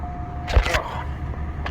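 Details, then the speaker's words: 05 DeVille cold start at about -12° (car reads -6°): a brief crank, then it fires right up and settles into a steady low idle. A clean, healthy cold start with no starting problems. "The cold start of the 05 DeVille. I have no problems with this thing starting. She might not be the most happiest turning over, but she'll pop off. Look at that. Fires right up."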